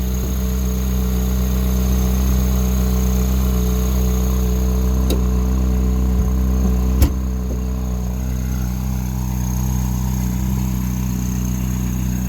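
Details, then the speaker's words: 2011 Ferrari 458 Italia during a pre-purchase inspection, engine running with the engine cover open: steady, smooth low idle drone with no knocks, ticks or hunting; normal idle. "Here is the engine running. I don't think a video is going to do this justice. You really need to hear it in person. Engine is running very smooth."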